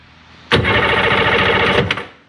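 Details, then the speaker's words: Neglected Sea-Doo SP engine turned over on the starter with a battery put in before a compression test, engine condition unknown; about 1.5 s of rapid, even cranking with no binding or clunks; spins freely, not seized. "right there I think you gotta hold that and this at the same time yeah [Music] the engine turns over"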